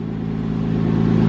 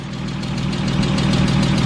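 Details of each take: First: 2005 Porsche 987 Boxster S, unknown mileage, sat non-running for years: faint light lifter tick over a steady idle just after a cold start, fading within moments; not a loud knock. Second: 2005 Porsche 987 Boxster S, unknown mileage, sat about 3 years, idling midway through a 5-minute engine flush run while warming up. Earlier noise nearly gone; steady idle with light, quick, even ticking judged normal injector noise.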